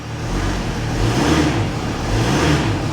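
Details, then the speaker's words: Mercedes ML350 salvage rebuild with a broken driver's front wheel speed sensor and engine management light on: smooth engine note climbs cleanly on the rev and settles back with no knocks, ticks or misses. Normal idle and rev. "sounds perfect honestly i'm not even exaggerating"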